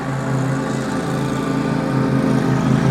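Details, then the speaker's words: Burchda R5 Pro e-bike with 1000W motor and 48V battery, riding about 21 mph uphill: only steady tyre hum, no whine or grinding; motor very quiet. Something under the front wheel makes a slight noise. "But other than that, all you can hear is the sound of the tires. The motor itself is very quiet."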